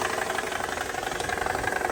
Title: Strange noise in C320 engine diagnosed. It’s the AC Compressor. 😥😓￼😭😭😭💸💸💸💸💸💸💸